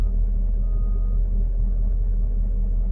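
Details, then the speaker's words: Mercedes-Benz CLS 550 AMG, recorded with the phone set down inside the car at idle: steady deep rumble with no knock or tick; engine sounds loud, scanner shows no codes, cause unknown. "it the motor just sound really loud to me from inside the car maybe I can put it down here and let y'all hear it"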